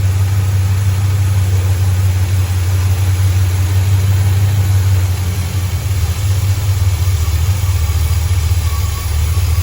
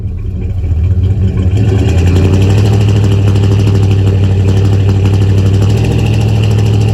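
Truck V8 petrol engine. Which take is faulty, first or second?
first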